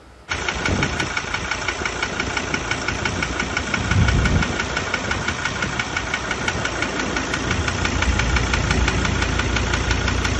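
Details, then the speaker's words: Ford Ranger diesel with only 66,000 km, no power loss or oil consumption: after start, sharp regular knock about three per second over idle; mechanic suspects injector or the engine itself, not confirmed. "Ele falou, ó, o motor não perdeu força, não deu uso do óleo, mas tem esse barulho feio aí. Pode ser bico, moçada."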